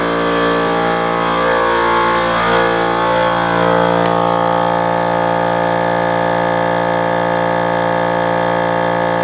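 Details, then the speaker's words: Old shop air compressor (being replaced by new Harbor Freight Central Pneumatic 29-gallon 150psi), heard from outside against the house: loud steady drone with hard pump beat about four strokes a second, struggling near top pressure; straining suspected, unconfirmed. "See what I mean? It gets up there and it's really fighting to go any further past it. I'm kind of getting tired of how loud it is too, so it was time for an upgrade."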